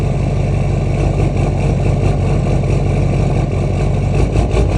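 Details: LMM Duramax diesel after sitting overnight, ambient 65°F+, rail pressure 5.7–5.9 kpsi, DPF deleted, EGR present, HS Minimaxx tuner, 4" straight pipe: deep, uneven, wavering rough idle for about the first minute, then fine; cause unknown.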